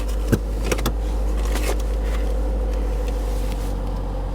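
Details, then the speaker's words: Auction vehicle at IAA Oklahoma City with crash-damaged frame rail and scraped transaxle, completely stock exhaust: after a few brief knocks at start-up, a quiet, steady low rumble with even beat; healthy stock idle, check engine light on. "Bo it's stock it's so quiet it's completely stock wow"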